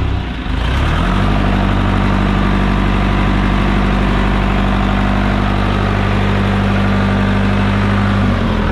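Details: John Deere 455G diesel after cleaning the flywheel-housing ground and starter work: catches within a second and settles into deep steady even idle with no misses or knocks; normal diesel idle.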